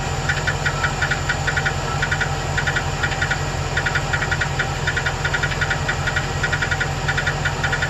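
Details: 2008 Chevrolet Express 2500 4.8L: light, sharp ticking in quick clusters over a steady idle, gone when rpm is raised; owner suspected a collapsed lifter on cylinder #8 but is now unsure, cause unconfirmed.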